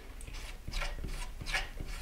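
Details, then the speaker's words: Skywatcher AZ-EQ Avant mount, RA axis pushed by hand with clutch loosened and motor drive disconnected: very stiff motion with a rough, rasping rub about every third of a second; RA worm gear binding, stopping the motor tracking. "I'm just gonna push the Ori access and as you see it's very stiff yeah and there's like a proper noise as well"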